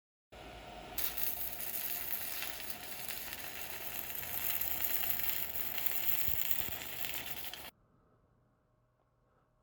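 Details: Pampa Hogar ARC 200 inverter stick welder, 160 A model, tested at about 80 amps: steady, even frying crackle for about seven seconds, then the arc breaks off cleanly; a stable, healthy stick-welding arc.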